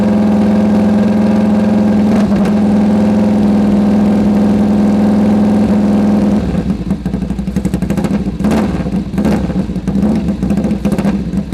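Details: Sidecar motorcycle engine, first start after full rebuild: steady, even idle with a firm low beat turning choppier and lumpier toward the end; engine running healthy.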